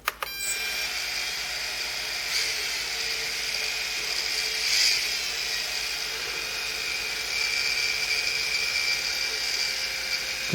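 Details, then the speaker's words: MJX Bugs 3 motors and flight controller in a Bugs 6 frame, rebuilt with mixed 10A replacement ESCs on 2S battery, bench spin-up: steady high whine, one ESC slightly out of tone/timing but all responding; normal. "And you can hear that the different ESC, it's slightly out of tone with the others, or the timing's different, but they all seem to respond to the flight control"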